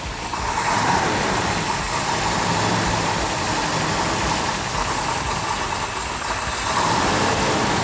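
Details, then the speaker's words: 1970 Cuda 440-6 with a Comp Cams Mutha Thumper cam, new engine during cam break-in with RPM held up for 10–15 minutes: started right up into a loud, choppy, loping idle over a deep rumble. Healthy, lumpy by design. "wow that started right up nice so what we're doing is going to let that run for probably 10 minutes you guys won't be there for all of it but once it's ran for 10 15 minutes the cam will be broke in then we can low the idle down at that point we'll go back and listen to the cam in the back sounds like a big cam right n"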